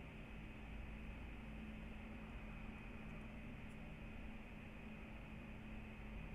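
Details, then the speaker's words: 2019 MacBook Pro 16-inch (AMD 5600M HBM2) with two monitors connected and several apps running, after a Final Cut Pro export: soft, steady airy fan hiss with a faint hum, winding down normally and not silent. "so the fans have quieted down but it's still not silent because maybe i do have a few things going on"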